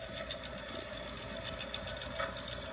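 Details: Chicago Electric dual-drum rotary rock tumbler from Harbor Freight after about 30 hours of running, lithium grease applied: steady, even motor hum with a constant mid-pitched tone and light rattle of rocks, no knocks; runs smoothly.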